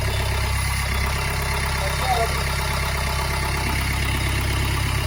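Steady, even idle with a low, smooth drone and a short rise in revs, no knocks or rattles; engine runs clean.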